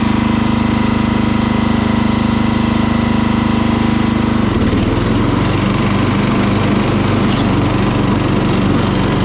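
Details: Murray lawn mower single-cylinder engine, just after carburetor cleaning for dirty fuel, started on choke at full throttle: steady, even drone that settles into a smoother, slightly lower beat halfway through, no misses; runs cleanly.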